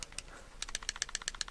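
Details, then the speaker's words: Suspected counterfeit Cold Steel Voyager medium folding knife shaken in open position: quick bright metallic clicks, about eight a second, as the locked blade rattles, a very bad lockup. "you can hear it rattling that is horrendous that is a very bad lock"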